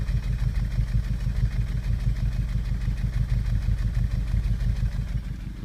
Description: Getting P0303 misfire in Cylinder 3. The problem ended up being two dropped valves on Cylinder 4, which is odd for the code.